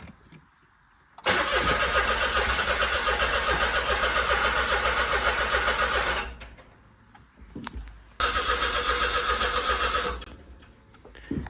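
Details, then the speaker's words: 2008 Smart Fortwo 451 after standing outside about three years with a flat battery: two cranking bursts, about five and two seconds, even starter churn near four per second, no catch; scan tool shows RPM, owner suspects no spark. "Okay, so we are back where I was with that white chimney behind me in one of the previous videos, where it would crank but it wouldn't start, and it doesn't even splutter"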